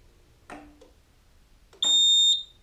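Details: Roma Sorrento mobility scooter after throttle pot replacement and drive lever centring: a click, then one clear high-pitched beep about half a second long as reverse engages, no longer cutting out or flashing; the reverse warning works normally.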